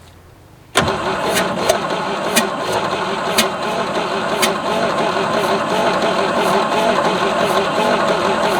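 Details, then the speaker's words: Abandoned 1967 GMC C20 with 305 big block V6, sat at least 7 years, coil energized and flammable sprayed in: starter cranks steadily about three turns a second with uneven compression beats for eight seconds, never fires; crank no start, no spark found. "step three stand back and hit the starter didn't sound super promising did it maybe we need to actually check for spark"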